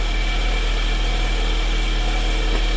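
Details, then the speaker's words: Harbor Freight wood mini lathe running briefly: smooth even motor hum, low drone and faint high whine, no knocks; runs clean, motor and bearings sound good. "Runs clean, motor sounds good, bearings sound good in it."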